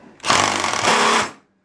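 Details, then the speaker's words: A driver whirs in a one-second high, rasping burst with a chattering edge while installing a garage door fastener, the noise telling that the fastener is not going on straight. "Now, when you hear that noise, you know it's not straight on there."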